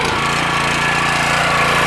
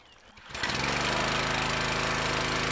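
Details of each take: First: Petrol pressure washer after internal repair of suspected unloader valve (previously would not release high pressure when trigger released): starts and settles into steady, even drone with no hunting or misses; trigger released, pressure lets off, valve briefly stuck then working; normal running. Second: Petrol pressure washer, before repair: on releasing the wand trigger engine bogs and struggles with dull labouring note, sounds different than it used to; abrupt stop at shutdown; high pressure not let off, suspected failed unloader valve.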